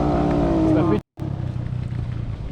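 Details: 25-year-old motorcycle that would not start the day before, briefly started: engine sounds uneven and lumpy, with irregular pulses and a brief dropout; runs rough as if about to stall.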